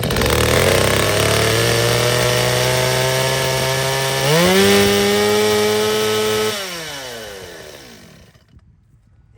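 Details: Used chainsaw started on choke after about five priming pulls: strong steady buzz that climbs cleanly to full throttle, holds even through the cut and winds down smoothly; saw runs healthy.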